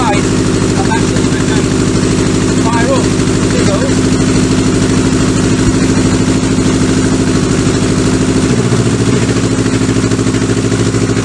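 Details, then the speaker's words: Kawasaki Z650B four-cylinder, rebuilt carbs refitted, fuel poured directly into the dead cylinder's carb: lumpy uneven idle, then revs jump and smooth out on all four; dead cylinder traced to that carburettor, not the spark plug. "you hear that then as if you went in suddenly the Reds went high and it sounded a lot better so definitely a problem lies with this carburetor"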